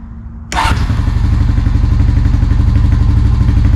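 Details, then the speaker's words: 2003-2004ish Honda Rancher TRX350FM3 350cc air-cooled 4x4 ATV after carburetor rebuild for hard start, not staying running and fuel dumping from overflow: fires first try into a steady, even thumping idle, about four beats a second; idle may need slight adjustment. "Nice. Fires right up. Might have to adjust the idle a little bit."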